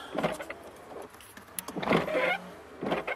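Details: Toyota Tarago/Previa/Estima (TCR, 1990-95), ignition on: short electric whirring bursts come in and out cleanly as the washer pump runs; front washer is on its own 10A fuse, rear wiper and washer on a 15A fuse; normal washer pump operation.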